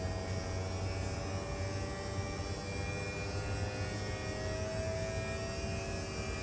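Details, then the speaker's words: Mid-2018 Tesla Model 3 with a newly replaced electric AC compressor, cycling on while being recharged with R134a. Quiet, steady electric whine over a low hum with no rattle or grinding; normal compressor operation. "now the compressor just turned on you hear that"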